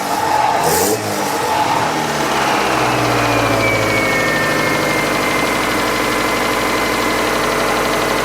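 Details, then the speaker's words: 1998 Chevy Tracker/Suzuki engine after the plug wires were corrected to the 1-2-4-3 firing order: it picks up smoothly from idle and holds an even, steady drone with no stumble or popping, though it smokes; normal revving. "looked up the firing order I had them wrong I had them wrong on the distrib I did 1 two 3 4 and it's 1 two 43 so hook those up now listen to this bad boy"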